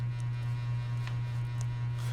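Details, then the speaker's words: Hampton Bay Minuet II ceiling fan, 21 years old, on high speed: loud steady low hum at even pitch with faint rattling, vibrating and humming hard; cause suspected, not confirmed. "so as you can see as you can hear that not only that the ceiling fan is vibrating and stuff it's vibrating the"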